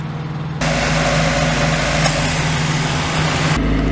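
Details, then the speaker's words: 1990 Mazda MX-5 Miata (NA): steady idle, then the rushing fan and compressor hiss join in and the rpm drops and roughens once the air conditioning is switched on. "this is my RPM at idle and this is my RPM when the air conditioning is on"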